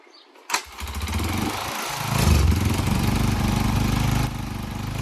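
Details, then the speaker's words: Cheap Chinese quad with a GY6 moped engine and a replacement CDI box and coil, kick-started: idles fine with a steady putter, then sags and dies as throttle is added; the owner believes it is a carburetor issue. "so here as it's running it runs fine at idle but when I give it more throttle it begins to die I believe that's a carburetor issue"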